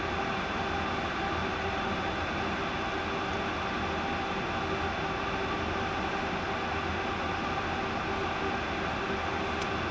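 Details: 1 TB Seagate drive, originally not spinning and making bearing-type noises, after platter swap into a donor with a free spindle and PCB refitted: steady even hiss with faint constant whine, spinning normally at speed.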